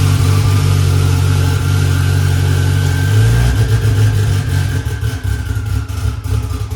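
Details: Honda S2000 2.4 race engine after rod bearing check following 5-6 months hard racing: strong steady low note climbing smoothly with a rev and settling back, no knocking or ticking; good oil pressure; running good.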